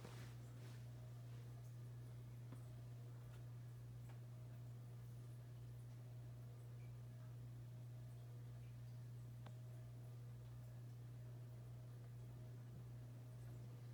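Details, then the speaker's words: 1895-model ceiling fan with metal flywheel and no rubber isolation, running nearby: steady low background hum with faint ticking; a characteristically noisy fan. "you guys can hear that background hum on the video that's 1895 right behind my head with a metal flywheel it is really a noisy fan"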